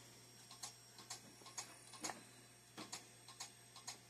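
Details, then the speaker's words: Old Compaq PC stored in a damp barn, rusty and dirty, first power-up: sharp, dry clicks about twice a second over a faint steady hum as the hard drive struggles. Owner suspects the connection, not confirmed. "Oh, there we go. Yep. Gotta click and drive."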